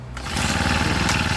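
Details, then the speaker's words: Honda GX35 brush cutter after repair: starts immediately and idles steadily without the choke. It previously died on acceleration unless the choke was on, and was fixed by adjusting the carburetor to draw more fuel; normal start and idle. "เห็นมั้ยครับเนี่ยเนี่ยมันไม่ต้องใช้โช๊คแล้วนะครับแล้วเดี๋ยวจะลองเร่งให้ดูนะครับว่าไม่วอดแล้วนะครับเห็นมั้ครับเนี่ยใช้ได้แล้วเดินเบาได้แล้ว"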